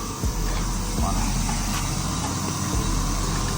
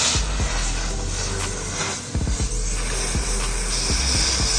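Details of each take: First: 100B plasma cutter in for repair, no output, intermittent per owner: only steady rush of air from the torch, no pilot arc crackle. Air flows but no ignition (no pilot arc) and no cutting output. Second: 100B plasma cutter after repair of no-output, no-pilot-arc fault, test run: steady hissing air-and-arc roar with a few sharp crackles and clicks, running evenly without dropouts. Cutter working normally.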